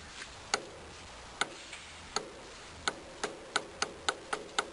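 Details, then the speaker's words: Longboard wheel on Zealous bearings whose built-in spacers are too long. Sharp, uneven light clicks, about four a second, as the wheel rocks back and forth on the axle; the play comes from the oversized bearing spacers. "hopefully you can hear that you can sense the wheel moving back and forth and that's uh going to be the issue"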